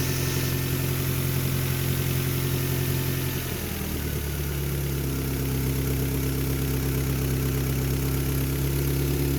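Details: Mitsubishi car with a cracked vacuum hose between fuel pressure regulator and intake manifold: steady low idle with a slightly wavering hum that shifts partway; lost manifold vacuum stops regulator adjusting fuel pressure, over-fueling so it runs poorly.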